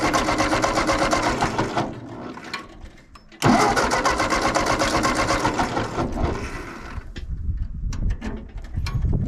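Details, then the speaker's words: Allis-Chalmers WD tractor, sat about a year since last spring, always a hard starter: starter cranks steadily, pauses, cranks again without catching; flooded engine, carburetor float apparently stuck and filled it with fuel, smelling of old fuel. "I did have a bunch of fuel down in that carburetor so that float must have stuck when I first open it doesn't seem to be dripping out of there now but it was enough that it flooded it"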